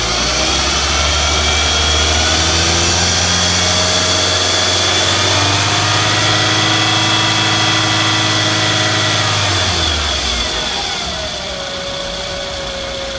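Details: 2006 Scion tC engine revs and settles to idle with a thin, high whizzing tone that stays constant regardless of revs; cause unknown.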